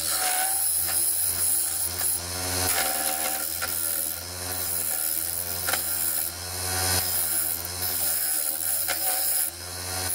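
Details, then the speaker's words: Segmented wooden bowl on a lathe: rough rhythmic scraping and thumping as the tool cuts, rising and falling each pass; the outer top ring is most out of balance and is being trued up. "as you can probably hear it's this outer top ring that's the most out of balance which is why I'm trying to get it back into shape now and it'll uh even everything up"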